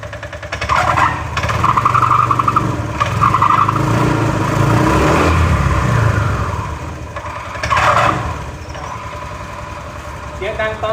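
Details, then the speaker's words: Old first-generation Honda Click 125i on stand, revved for take-off: loud rough whirring rising on pull-away, traced to the drive side; drive belt cracked but not broken, belt 4-5 years old and due for replacement. "ออกตัวแล้วครับเดี๋ยวรอดูก่อนนะครับว่ามันดังเพราะอะไรรถคันเนี้ยดังตอนออกตัวนะครับ"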